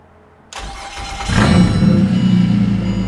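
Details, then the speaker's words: Car with half the exhaust missing, flywheel still to be machined and new clutch pending; cranks briefly, catches cleanly and settles into a loud, raw but even idle with no knocks; starts and runs fine. "But she's running and she sounds pretty good. [Music] So, after a log struggle, we got her starting. Sounds all right as well."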